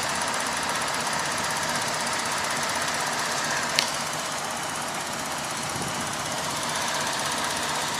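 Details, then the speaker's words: 2007 Saturn Outlook, 3.6 L V6 idling. A light, fast ticking, about three ticks a second, over a hissy running sound. It seems to come from underneath a particular area of the engine. The dealer could not identify the cause. "hello this is a 2007 Saturn Outlook 3.6 ler V6 and I'm curious to know what that ticking sound is can't find out what it is"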